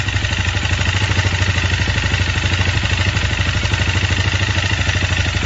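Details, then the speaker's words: 164FMM single-cylinder motorcycle engine, rebuilt after a broken third gear wrecked the case and piston (gearbox and cylinder replaced, another piston fitted, carburetor changed): steady, fast metallic knock; cause was the crankshaft. "Дело было в коленвале стучало"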